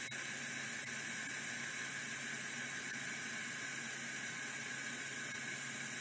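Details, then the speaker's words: Vintage 3425 hard drive labelled failed 6 of 94: steady hiss and whirr with no seek ticking at all; spins but sounds rough, didn't seek and gave an error code. "another really nice looking 3425 with its face plate and everything this one sounds awful and it says failed 6 of 94 so not expecting a miracle here but let's give it a try"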